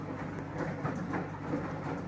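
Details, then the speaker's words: Samsung washing machine after repair: drum turning with steady low hum and even whir, no knocking — drum noise fixed. "после ремонта звук исходил из шлифа барабана звук устранён не стучит Работает"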